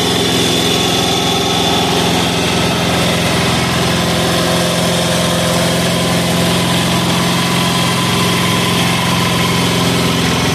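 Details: 186FA single-cylinder diesel running on Road Tech synthetic blend 10W-30 motor oil as fuel at about half throttle. A loud, even clatter at steady idle with no misses or surging across ten seconds; it runs smoothly.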